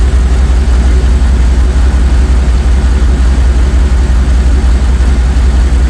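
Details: Jeep ZJ Grand Cherokee 5.2 V8 after water pump replacement, warm with the thermostat open and the cooling system bled: smooth, even low burble at idle, steady beat, no ticking or squealing; healthy.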